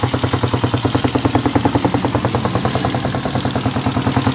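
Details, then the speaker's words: TMX155 single after a top overhaul with a 54 oversize bore: steady idle with a sharp, even tick about three times a second over the exhaust beat, from a loose valve still to be adjusted; valve tick from loose valve clearance. "yung lagitik na yan guys, dito yan, yung barbula nya, lumarga lang yan. A-adjust ko pa yan."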